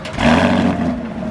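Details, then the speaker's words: 2019 Camaro SS V8, warm start: a quick deep roar as it catches, then settles smoothly and evenly; healthy but quiet. "It don't sound bad. That's a warm start. I mean, it's quiet, don't get me wrong, but at the end of the day, who doesn't want a louder car when you have a car like this?"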